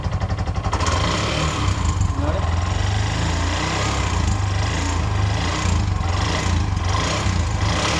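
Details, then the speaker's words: Bajaj 205cc engine rebuilt with new head, bore and shaft: fast, even tick on the single-cylinder idle beat from the top end, appearing once slightly hot; nothing found on checks, fault suspected in the new head itself. "ಸ್ವಲ್ಪ heat ಆಗಿದ ತಕ್ಷಣ ಟಿಕಿ ಟಿಕಿ ಟಿಕಿ ಟಿಕಿ ಅಂತ sound ಬರುತ್ತೆ. ಏನು check ಮಾಡಿದ್ರೂ ಸಿಕ್ಕಿಲ್ಲ. ಈ ಹೆಡ್ಡಲ್ಲೇ ಏನೋ ಫಾಲ್ಟು."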